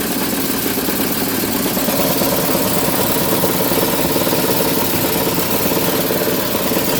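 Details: No-cooling call, Goodman furnace indoor unit: constant rough buzzing rumble with steady shaking beat, no speed change; blower destroyed and vibrating, causing intermittent low control voltage; new blower assembly likely needed.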